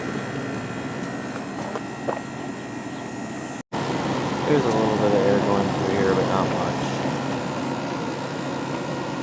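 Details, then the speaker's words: 1989 Carrier International Series window air conditioner with GE fan motor, compressor running on medium/high fan, cooling well: steady low hum with fan air rush, a brief cutout, then a smooth even run; compressor sounds healthy. "It's getting nice and cold now, so it's definitely working properly."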